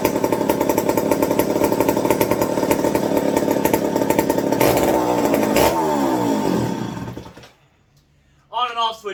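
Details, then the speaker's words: McCulloch 55 gear-drive chainsaw after a homemade Scotch-Brite tank wick and a swap to an 090 carb. It runs with a rough, ragged buzz, then sags and dies abruptly. The owner suspects the switch is shorting out in the handle. "it's shorting out somewhere in the handle that's exactly what that sounded like to me as i flip it up flip it back down yeah that switch is giving me fits now"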